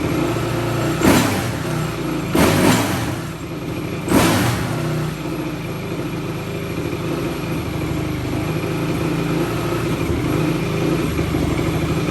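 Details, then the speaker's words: 2004 Yamaha YFZ450 single showing zero compression on the gauge, cranked with brake cleaner sprayed in the intake: three sharp bursts, then uneven sputtering, hard to start and running rough; cause unconfirmed. "so if we just need a carburetor clean we should just be able to spray this brake clean in like that and start it up"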